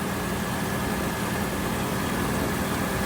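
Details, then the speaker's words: Mopar tonner truck after long storage, running about 5 minutes and warm, only carburettor and water pump done, owner suspects sticky rings and gummed valves: smooth even low rumble, no knocks or misses; healthy warm idle. "It's honestly amazing how well it runs, considering we've done nothing except the carving."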